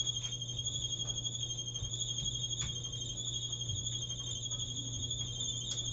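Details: 10-year-old Maytag clothes dryer running with a steady, piercing high squeal over its low hum; squealing noise, cause not yet diagnosed.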